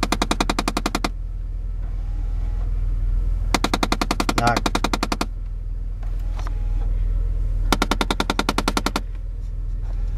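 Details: 2006 Chevy Impala LT, about 160,000 miles: rapid bursts of sharp clicking/knocking from the dashboard after remote start, not the engine, continuing with key out; owner suspects jammed air-vent door motors. Finding: HVAC air door actuator knocking.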